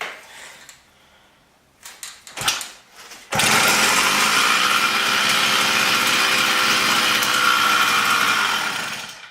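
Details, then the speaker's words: New 80cc two-stroke motorised bicycle kit engine, started in a higher gear: after some handling it fires at once into a high, buzzy, steady run with no stumbles. A healthy small two-stroke. "So as you can see, it starts up pretty well. Because I have in higher gear, it doesn't take long to start it up."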